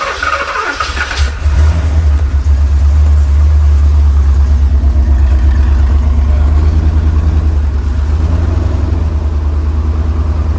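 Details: 1985 Porsche 928S V8 idling rough after warranty replacement fuel pump installed (following new pump, plugs, wires); deep uneven lumpy rumble over several seconds; injector cleaner added, owner suspects injector or fuel filter, cause unclear.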